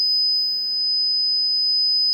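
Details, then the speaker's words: Laney Cub 12R valve guitar amp on the bench: advancing the volume makes it burst into a piercing steady oscillation at 5 kHz; the cause was a grounding fault, the paint-insulated chassis halves having no electrical connection. "as you advance the volume it bursts into oscillation and it's"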